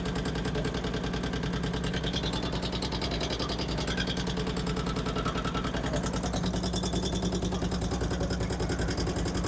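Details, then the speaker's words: 2008 Harley-Davidson Street Glide, first start after installing Screamin' Eagle 255 cams, before new tune: fast, even ticking over a lumpy V-twin idle, possibly a pushrod not seated in its lifter cup; valve train tick. "As you can probably hear, we've got a tick in the motor up here for some reason."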